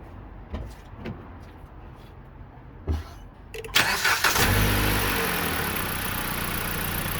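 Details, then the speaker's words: 2020 Dodge Journey, gasoline, owner thinks 2.4 engine, first start after replacing spark plugs: a few clicks, fires promptly and settles into smooth, even idle, no misfire, no check engine light. "Well, it's running very smooth. I don't have a check engine light."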